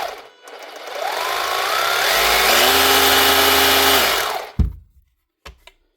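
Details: Panasonic EY7880 SDS hammer drill, battery-powered, after repair with new brush ring and brushes fitted: spins up smoothly to a steady high whine for about two seconds, winds down cleanly; motor runs healthy and even.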